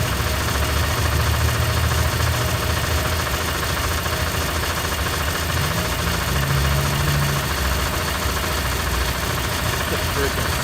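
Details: 1995 Toyota Camry idling after oil pump gasket replacement, fixing an oil leak that began after timing belt replacement; no oil leak seen, even settled low drone with no tapping or stumbling, healthy.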